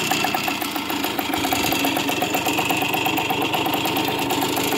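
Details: 1981 machine being sold for restoration: idle carries a fast metallic rattle and ticking, steady with no load; bearing issue, small end noted, engine needs a rebuild with new bearings; consistent with worn engine bearings.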